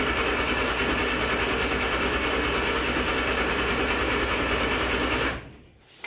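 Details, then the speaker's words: Turner Ranger tractor with a 1098 A-series engine, sat six months, slow battery: long, steady cranking at about three turns a second with no firing while fuel is drawn through an empty fuel filter; not yet primed. "so now i'm going to crank it until the fuel gets through to that fuel filter and through the engine so it might be a bit noisy but here we go"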